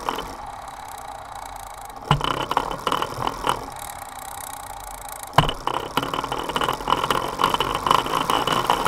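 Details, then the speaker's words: Bicycle drivetrain on a Directo XR trainer with a Sunrace cassette, Dura-Ace rear derailleur, Ultegra chain, straight hanger: rough scraping with irregular clicks and snaps only on the 23T cog; resolved by Directo. "The noise is only on gear number 23 tooth."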